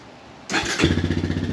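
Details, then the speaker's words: Early-2000s Honda Recon ATV single-cylinder, finished after carb cleaning, head swap and new rings, key start: quick crank, catches at once, settles into an even steady thump; runs well, no smoke. "yeah she runs no smoke sounds good"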